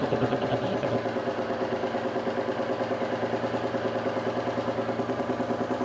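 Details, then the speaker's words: Royal Enfield 350 J-series single after fitting a TEC Stage 2 performance camshaft, ticking over 10–15 minutes for ECU auto-adjust: even, unhurried thump about three beats a second, no knocks or rattles; normal idle. "Just start it up and let it tick over for about 10-15 minutes just to do the auto adjust on the ECU."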